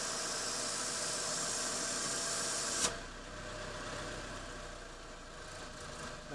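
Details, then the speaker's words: 1991-1995 Honda Civic DX at idle after new Walker catalytic converter, resonator and Quiet Flow SS muffler install, flange screws replaced: loud steady hiss then drops away; exhaust still leaking at the loose muffler flange, needs more tightening. "oh I still got a little leak there actually I got still probably just as much leak as I had"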